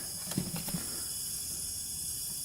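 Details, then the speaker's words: Honda 300EX ATV that runs but smokes heavily, leak-down test at top dead center: a steady faint hiss of air escaping at the crankcase shows compression getting past the piston rings, which are either worn or stuck. "that means the rings are worn so it's definitely rings it needs hear that air coming out um compression is getting by those rings"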